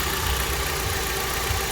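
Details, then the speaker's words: Kia Optima with AC blowing warm, idling with AC on: steady low drone over the idle, barely cold output; droning noise with AC on, compressor solenoid control valve suspected, not confirmed. "Okay, the AC is finally on. And if you listen closely, there was a droning noise,"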